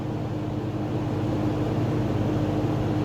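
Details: Early-1970s Kmart/Lakewood P-23 20" box fan with metal blades and a McMillan motor, on high at about 2.6 A and almost 200 W: a smooth constant whoosh over a steady low hum, no ticking, rubbing or wobble; normal running.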